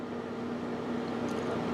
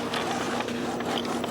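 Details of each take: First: Epson XP420/XP320-series printer with a continuous ink supply system gives four evenly spaced high electronic beeps over a quiet room hum. It is rejecting an unrecognized cyan cartridge chip. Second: Epson XP-420/320/424 printer with a newly installed continuous ink system prints a nozzle check: quick irregular clicks and soft whirring of the printhead carriage and paper feed, no grinding or skipping. Result perfect.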